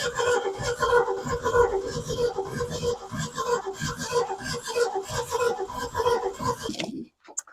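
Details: 1965 Ford Mustang 260 V8 being revived, fuel pump not delivering fuel to the carb: starter churns slowly and evenly, about 1.5 turns a second, and never catches. Crank no-start from no spark at the distributor; distributor later replaced.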